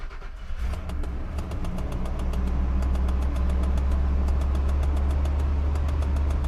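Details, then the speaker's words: 1995 Chevy 454 (7.4L) V8 with a dead battery, jump-started first try with a VTOMAN V150 jump starter; big V8 catches and settles into a deep steady rumble, rising slightly with a little throttle, smooth and healthy normal running. "all right success on the first try let's give it a little gas"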